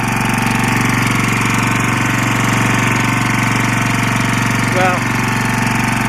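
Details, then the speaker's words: Lombardini 6LD260 air-cooled diesel on a traffic sign generator, cold-started after sitting unused for 10 years, on fresh diesel from a remote tank: loud, steady, fast clatter with no misses, smoking a little. Normal running under generator load. "Seems to be running up against the generator. It's not horrible noisy. It is smoking a little bit."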